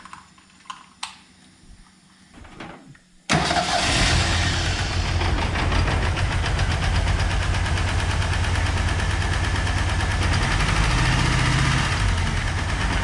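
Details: Ford Turbo Coupe parts car, first start after fuel added, integrated control module jumped and ignition switch replaced: catches after a few seconds of cranking and idles unevenly with irregular lope; rough running, a wire on the wrong cylinder noted, cause unconfirmed.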